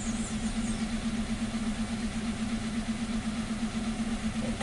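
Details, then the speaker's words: 2015 Hyundai Accent, codes P0335 and P2188, tach reading zero, stalling and running rich: petrol engine idles roughly with uneven lumpy pulse about twice a second. "this vehicle is running rough it's making noise like you know like a like you got an issue or something like that like if uh you got misfire"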